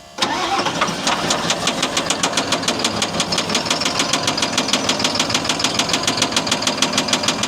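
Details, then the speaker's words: CAT 950M wheel loader diesel, bought as a trade-in with a knocking engine: a sharp metallic knock about three times a second over the idle, loud and regular; owner suspects either a severe rod knock or a bad injector, undetermined. "I haven't ordered any parts yet because well, we haven't found out what's wrong with it, but it's either got a severe severe rod knock or it's got a bad injector."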